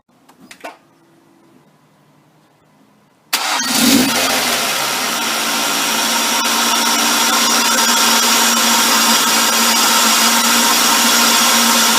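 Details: 2005 Ford Focus with a $30 aftermarket open air filter replacing the stock air cleaner: the engine starts and settles into an even idle with a loud airy hiss, the normal intake noise of the unenclosed filter, especially just after starting.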